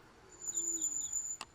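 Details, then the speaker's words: Electric scooter, about 10–11 miles in with four of seven battery bars, slowing on a sidewalk: thin high-pitched squeal from the front brake, ending in a faint click. "So, that's going to be our front brake. Our front brake is squeaking."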